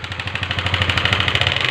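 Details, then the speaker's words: Honda CBR150 LED engine at idle after starting: sharp, fast metallic ticking about twenty a second, louder with throttle; valve train clatter from the cam starved of oil by a blocked head passage. "Oke kunci kontak on lalu kita starter nah suara mesinnya Oh ngeri ya suara mesinnya"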